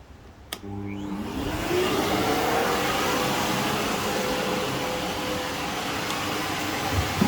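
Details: Alfa Romeo Spider after an exhaust leak repair: the engine catches and settles into a steady, even run with no puffing or ticking from the exhaust, so the leak is sealed.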